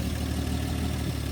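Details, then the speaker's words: 1954 Chevrolet inline six first run after two decades sitting, running with no exhaust and no accelerator pump, pulling fuel without a fuel pump: low, steady rumbling idle with an even beat and no extra valvetrain ticking; sounds healthy. "just no exhaust like usual no exhaust and no accelerator pump so both those are to be expected but damn that's running"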